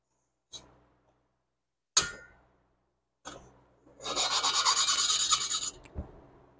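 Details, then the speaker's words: Valve lapping on a 1976 Porsche 912E Type 4 2.0 head (cylinder two), engine fitted in a 1967 Porsche 912: scrapes, then a coarse gritty back-and-forth rasp about three times a second. Seat not yet mated; the tone should get quieter as lapping progresses. "as you do this it starts to hear and get quieter and quieter and that's what you're after you're after that tone"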